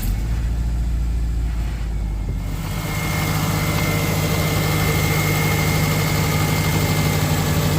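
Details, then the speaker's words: High-mileage car that burns a fair amount of oil and has lost power; white spark plugs point to a lean mixture, suspected from a clogged fuel filter: steady, even idle with a smooth low hum, no knocks or misses; runs well. "Radi dobro. Imamo i dalje radi dobro."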